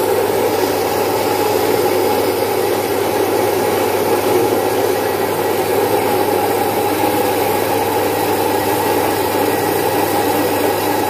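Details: Single-phase 1 HP domestic stone flour mill splitting about 5 kg of mung beans into dal; steady even hum with smooth gritty rush from the stones, no knocks or surges; normal running.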